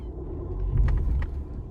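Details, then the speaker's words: Fiat Egea 1.3 Multijet diesel, manual, on a restart after earlier rough idle with a hunting rev counter: a low, even rumble with no rpm fluctuation; steady idle this time. "Şu anda mesela devir saatinde bir dalgalanma yok"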